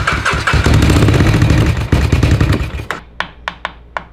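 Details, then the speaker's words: Blue 300 four-wheeler (single-cylinder) after fresh top end, crank has side-to-side play: runs unevenly then shuts off, sharp metallic clinking ticks as it winds down; hoped it was exhaust, not heard at head, source unclear. "I was really hoping that was the exhaust clinking. I couldn't hear it when I put my ear to it. It didn't sound like it was coming from the head."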